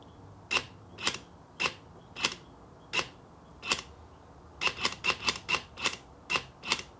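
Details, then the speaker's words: Range Rover Sport EGR valve on bench after fault codes on both sides: crisp clicks, about two a second then a quicker burst, actuating freely, not blocked; owner suspects the fault is electrical. "right so that comes up and down very easily as it's supposed to it's not blocked up at all"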